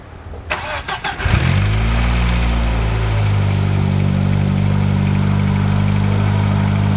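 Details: B5 VW Passat GLS wagon 1.8T after high-flow exhaust manifold upgrade, first start: cranks, catches, settles into steady even idle, smooth low hum, turbo audible, no ticking or puffing; no exhaust leak found; normal idle.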